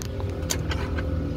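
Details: LG French-door refrigerator (591 L) freezer fan motor: steady low droning hum with faint tonal lines and brief ticks from the failing, noisy fan motor, which is replaced to fix it.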